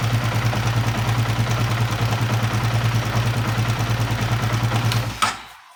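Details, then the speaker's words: Honda CB150R at idle: steady idle with loose, uneven metallic clatter about three beats a second, seemingly upper left of engine; mechanic suspects a slack cam chain, not confirmed. "Motor ini suaranya sangat terdengar kasar, kemerosok pada bagian mesinnya, tetapi sepertinya masih di bagian mesin kiri ya teman-teman ya, di bagian atas ya."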